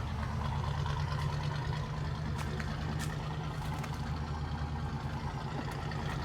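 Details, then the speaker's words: 1980 GMC K20 square body V8, sitting since about 2014, restarted after filling the carburetor bowl: steady, even low rumble with no misses, knocks or ticks; oil pressure pegged; normal smooth idle. "She sounds awesome. Holy cow."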